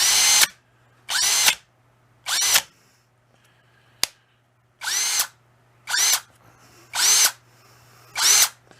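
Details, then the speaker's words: Masterforce 20 volt two-speed cordless drill in high speed: repeated high-pitched whirs each cut off abruptly by the automatic motor brake on release; normal electric brake stop. "this has an automatic break can you hear it slam when it shuts off"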